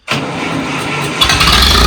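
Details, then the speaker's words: Chevy manual, day after carburetor work, battery had been disconnected: about a second of steady cranking, then the engine catches cleanly and settles into an even run with no stumble; normal start. "Oh, yeah. that works."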